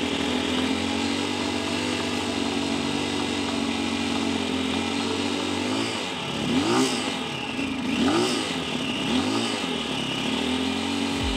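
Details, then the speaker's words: 2022 CSC TT250 carbureted single-cylinder enduro motorcycle at operating temperature: holds a steady but low idle, under three tachometer bars, with a few quick throttle blips; idle speed too low, adjustable via the carburetor idle speed screw. "okay now we've got the motorcycle at operating temperature it's at Ida it's holding an idle but it's it's really kind of low I like to see at least three bars on my tachometer"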